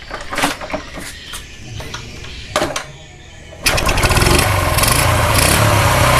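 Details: Kawasaki two-stroke motorcycle after its messy DC ignition wiring was rebuilt, new spark plug cap fitted and fuel filled: a few scattered knocks and handling noises, then it fires and settles into an even, steady buzz, running healthy.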